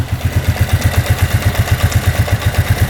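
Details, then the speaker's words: 2001 Arctic Cat 300 4x4 ATV, single-cylinder engine at low idle: a steady run of deep, even thumps, no top-end knock or rod knock, quiet, no smoke; normal idle. "No knocking from the top end. Bottom end sounds good. No rod knock. Not too bad. Nice and quiet."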